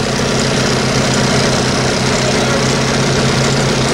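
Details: Old boat engine after long storage, on water supply, being run to qualify: steady, even idle with deep low drone, no knocks or misses; sounds healthy.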